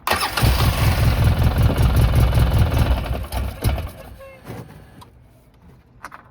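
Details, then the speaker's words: 2009 Polaris RZR 800, parked about 5 years, first start attempt holding brake: rough low idle for about three seconds, then stumbles and dies as soon as a little throttle is given; stalls every time gas is applied. "Let's see if it starts. I gotta hold the brake. I gave it a little bit of gas and it turned off."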